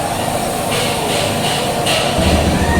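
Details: Honda Beat eco (ACG starter) after ECM reset and sensor check, owner-reported stalling while riding: smooth even idle with steady hum, no stumbling or dying; holds tickover, healthy.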